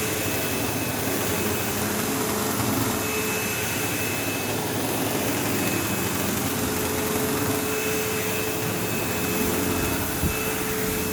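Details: Sebo Automatic X5 upright vacuuming a living room: steady motor roar with a thin constant whine and coarse buzz underneath, occasional belt-slip-like squeal; the belt was checked, and brush roll vibration is suspected, cause unconfirmed.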